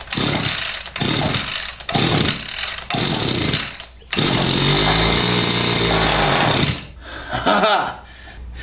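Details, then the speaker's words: Stihl FS86 brush cutter right after its carburetor mixture screws were reset to factory settings: rough, surging running with dropouts, starving for fuel. The mixture is lean, and idle was then raised three turns. The underlying no-start was bad piston rings. "So, now it's starting up. Sounds like we don't have enough gas coming in there."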